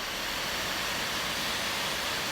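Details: MacBook Pro 15 Late 2013 after spraying WD-40 (LM-40) inside the formerly loud left fan and reassembling: a smooth, even, airy whoosh with no rattle, scrape or ticking; the fan now spins quietly and steadily.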